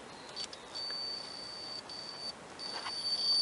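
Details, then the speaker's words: 1998 Ford Contour door speaker, which tested good on a 9-volt battery: multimeter buzzer beeps steadily across the white/black and brown/yellow speaker wires, showing continuity; short in the wiring, suspected where the door bends. "have continuity so I need to find a short somewhere in the wiring"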